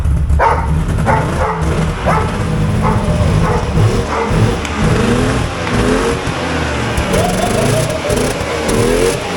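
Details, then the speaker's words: Yamaha VMax 700 triple snowmobile, bought new in 2001 and not run since 2021, cold-started on choke with the parking brake on and the rear lifted: busy, even two-stroke burble with no misfire or stumble; runs well, may need a slight idle adjustment. "good oh she runs so good that's great a list do it smell that you need an idle a little idle adjustment it might be all right once it runs it sounds good"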